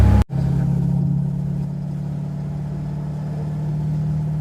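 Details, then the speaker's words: 1982 Ford Mustang GT, rebuilt 310 cubic inch (302 bored .060 over) V8, new straight-through mufflers without tailpipes, test drive: a deep steady V8 rumble with a lopey cam chop heard more than with the old chambered mufflers. "You can hear the cam chop a bit more with these mufflers than you could the other ones."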